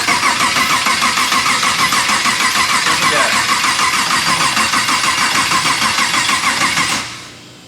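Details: LS V8 swapped into a BMW E46, first start attempt after wiring, then told to hold throttle at ten percent: steady cranking about three pulses a second with no firing; cranks but won't start, cause not identified.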